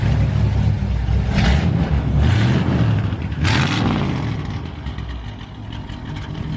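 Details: Engine started as a reference for how a healthy motor should sound: it catches and runs, then three quick throttle blips rise and fall smoothly with no knocks or rattles. It sounds healthy.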